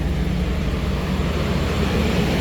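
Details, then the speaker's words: 2013 Chevrolet Express van V6, running after a no-start/no-crank fix involving a replaced PCM and a fuse nobody had checked: smooth, even low drone with steady pitch, no knocks or misses. "I mean, but you can see it's running. You can see it's running."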